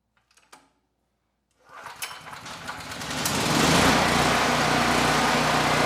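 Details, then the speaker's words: Generac GP6500E generator after repairs, carb test indoors: starts first pull and settles into a steady even drone with no hunting or sputter; the carb runs it quite well. "First pull, every time. Can't really argue with that. And the carb, it's running it quite well."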